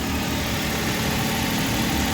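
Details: Suzuki Every (Japanese) small petrol engine idling steadily and evenly after repair: cylinder 2 misfire (code P0302, blinking check engine light) caused by a cracked ignition coil boot shorting current; boot replaced, light off.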